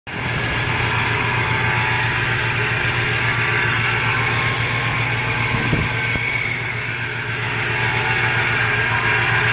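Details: 1999 Toyota Tacoma 3RZ-FE petrol engine at idle: steady high whine riding over the low engine hum; owner asks what the whine is.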